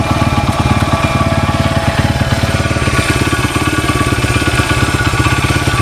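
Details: 1994 Honda XR100R after carburetor rebuild, warmed up, no smoke and nearly out of gas: the single ticks over at an even idle, about three and a half pulses a second, no stumbles; healthy.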